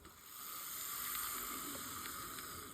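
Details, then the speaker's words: Kato L&N Jeep model train locomotive from an old collection, test-run on track: light, even mechanical whir with soft hiss, steady throughout with no catches or stalls; a good runner. "All right, perfect. Definitely two good runners out of those L&N Jeeps right there."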